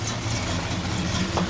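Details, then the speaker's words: Dodge Dakota after a V8 swap with a Flowmaster exhaust: a deep, even low rumble at idle with a steady throb and no knocks or misses. A healthy V8 idle through a loud exhaust. "the dakota after the v8 swap here we go you can hear rumbling shooter flowmaster old school"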